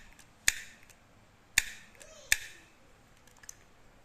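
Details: Used Daiwa Prospin GS-600RD spinning reel with metal spool and body and rear drag: three crisp, sharp clicks about a second apart as the bail flips over and snaps home firmly on a strong spring; normal bail action.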